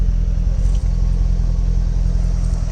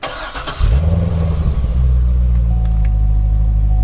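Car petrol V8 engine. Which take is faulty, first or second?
first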